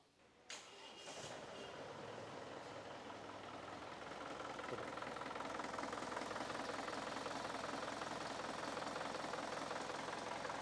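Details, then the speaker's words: Chevrolet Tavera diesel, radiator refilled with plain water after a coolant flush, run about five minutes: it cranks, catches within a second and settles into a steady, even idle with no knocks or misses. Normal start and idle. "അപ്പൊ നമ്മുടെ ഒരു അഞ്ചു മിനിറ്റോളം വണ്ടി start ചെയ്തിട്ടുണ്ട്"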